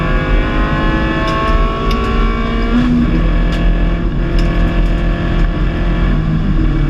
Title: Engine misfire Late into Race